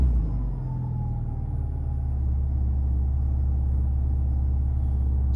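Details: Alfa GTV revved after a fuel pump swap, with the new pump much quieter. A deep, even rumble builds smoothly with the revs, no stumbling or misses; it pulls cleanly with healthy fuel delivery: normal revving.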